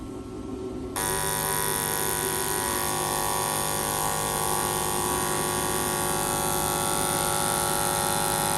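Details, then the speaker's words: BMW N54 port fuel injectors back on the flow machine after cleaning, three at once with a dummy injector in one slot: the machine kicks on into a steady even buzzing pulse about four per second. All three tested flowed the same. "The first 3 went in, nothing weird. We flow tested them, all 3 are the same."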